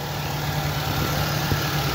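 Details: 2007 Ford Focus petrol engine, formerly misfiring on one cylinder and losing power from a broken injector, idles with a steady even low hum and no stumble after injector replacement.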